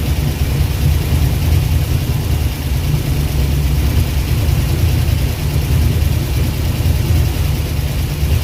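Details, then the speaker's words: Abandoned Eleanor-style Mustang, Ford 289 V8, first run in over a decade: deep uneven rumble with puffing pulses at idle, compression escaping, smoke from both pipes and radiator pressurized; owner suspects blown head gasket, possibly jumped timing, not confirmed. "It's got a large, really bad puffing like a choo-choo train. Looks like it's got a blowed head gasket, y'all. A lot of compression coming out."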